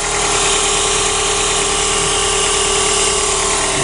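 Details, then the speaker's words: 2003 Chrysler Voyager 2.4 after an intake install, with two forgotten small sensors reconnected: a steady, even idle with a smooth hum and no knocks, ticks or misses; it runs healthy, though coolant is still low. "it helps to have the proper sensors on and it's running we're up and running"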